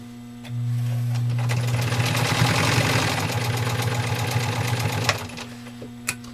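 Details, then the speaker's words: Restored 1919 Singer 66 "Redeye" sewing machine with an added motor, stitching through two layers of heavy denim: smooth, even motor hum with quick, steady needle chatter, very quiet, no knocks; running healthy. "I don't know what you can hear through the camera, but this machine runs ridiculously quiet."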